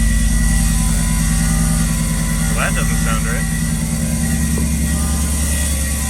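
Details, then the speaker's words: Built big-turbo B8 Audi A4 on first startup after rebuild, low fuel and a leaky exhaust: harsh scraping clatter over a rough idle; owner believes a bent plate between transmission and block is rubbing. "yeah okay so you probably heard that very horrific noise sounded awful to begin with but i'm pretty sure i know what it is"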